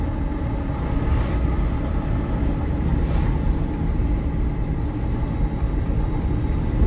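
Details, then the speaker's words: EV-converted MG Midget driving forward after a new electric motor install: only a steady road-and-tyre rumble, no motor whine or clunks, much smoother and quieter. The motor stays at about 16°C, near ambient; the electric drive is normal. "Oh man, this is smooth! Oh, this is so much better and quieter."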